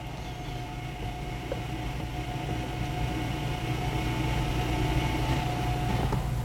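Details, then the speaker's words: 2014 Jeep Cherokee rear electric parking brake put in service mode via the display: steady low motor whir with a faint whine, rising slightly as the actuators retract normally, ready for a pad and rotor job. "As you can hear it, it's retracting the pistons right"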